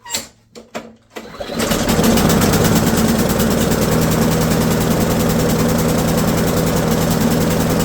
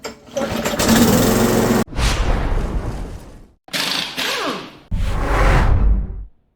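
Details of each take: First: Briggs & Stratton L-head 190cc (6.75 ft-lb) mower engine with auto choke, no primer or throttle: after a few pulls it fires into an uneven, rich, loping chug about four beats a second; auto choke stuck closed. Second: Briggs & Stratton L-head, restarted after fixing a stuck auto choke: fires and runs in short bursts with quick throttle swells and clean cutoffs; starts and runs normally.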